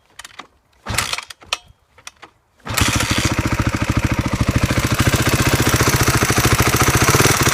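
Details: 2012 Honda CRF250: fires up after a few kicks and settles into a fast, even idle with a light rapid tick on top; engine ticking noise, cause unclear.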